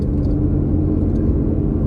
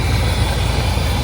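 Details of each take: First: 1984 Chevy C30 crew cab dually, 454 big block with Quadrajet carb, idling cold on a small fuel jug: steady, fast, even drone well above normal with no hunting. It is still idling high because the choke hasn't kicked off yet. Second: 1984 Chevrolet C30 crew cab dually, 454 big-block V8 with Quadrajet carb, warmed up with choke fully open after idle adjustment: deep, steady even rumble, no misses or rattles; smooth idle near an estimated 1,000 rpm, down from about 2,500.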